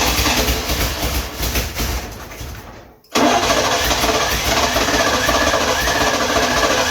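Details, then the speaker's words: 1971 Lincoln Continental Mark III sitting 40+ years, carb cleaned, timing not yet set: uneven stumbling cranking with a dropout as the brand-new starter acts up, possibly hot. It never catches. "starter motor is acting up I know you guys can hear that"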